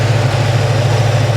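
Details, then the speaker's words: 1996 Chevy Camaro Z28 V8 with 6-speed manual and K&N cold air intake, idling with cooling fan running and temperature normal: steady, even low burble with no misses, knocks or ticks, faint fan hum; runs and sounds nice, normal idle. "She runs out nice, guys. I don't know how it drives. All I've been able to do is back it up, but she runs nice. She sounds good."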